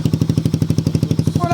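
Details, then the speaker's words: Freshly built Suzuki Raider 180cc carbureted engine, 30mm Koso carb, 68mm, in break-in and not yet final-tuned: even, steady exhaust pulses of about ten a second with no knocks, misses or rattles, a very quiet, clean idle. "Sobrang tahimik na makina. Parang nirefresh lang mga idol."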